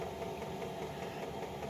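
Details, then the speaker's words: Chinese 5 kW diesel heater with LCD controller, combustion chamber up to temperature, blowing lots of warm air: steady even roar with a faint quick regular pulse, no sputtering; burning cleanly. "and it is running well i'll show you the exhaust system where i have it all right it's kicking out a lot of warm air it's a lot of air that's coming out of there too"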